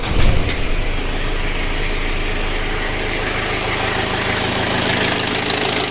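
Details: Ford Ranger diesel that lost oil and would not rev high: after emergency fix adding auxiliary pump to aid diesel fuel circulation to injection, engine catches into steady, even clatter with no stumbling or surging.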